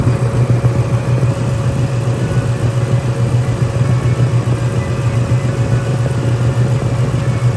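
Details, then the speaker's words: Radiator fan running after removing a driver-side valve cover hose that had been holding up the hood scoop: steady low whir and even hum, no shaking, ticking or plastic slapping, blowing hot air; fan healthy. "As you guys seen in the video, the fan wasn't shaking. It wasn't making any weird type of noises. Right now, I can just hear it blowing hot hot air."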